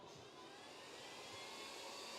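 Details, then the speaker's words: X5 crypto miner just plugged in, fans running at full speed on boot: loud, even rushing roar with a slight rise and no rattles or grinding; expected to quiet down after a few minutes. "it should quiet down after a few minutes"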